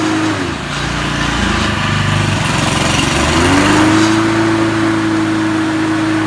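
Small engine runs steady and even, settling to a constant high governed speed with no knocks or stumbles; sounds healthy.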